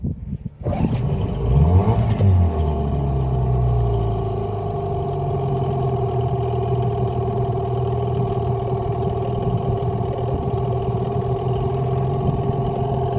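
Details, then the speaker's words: Hangkai 18 outboard, freshly started after about 13 pulls with choke and added gas: steady, even idle with a smooth tone and no misses or rattles; start of a 10-minute idle break-in. "Now it's got an idle for 10 minutes. That sounds good."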